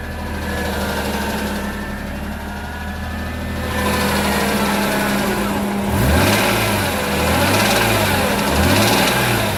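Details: E46 M3 engine blipped up and down, faint knock following the revs, developed during normal driving; possible rod knock, not confirmed.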